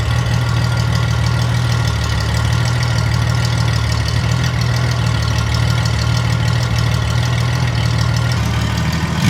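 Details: Derelict Honda Goldwing six-cylinder project, first fire-up with rescued exhaust collector fitted (previously raucous on open headers): smooth, deep, steady drone with no misses, ticks or rasp; healthy six at normal idle.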